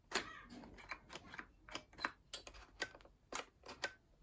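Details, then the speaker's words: Bosch AHS 40-24 hedge trimmer, reassembled and plugged in during repair: sharp light clicks, two to three a second, unevenly spaced, in a quiet room; the safety micro switch clicking normally. "I can hear the micro switch clicking now. Be very gentle."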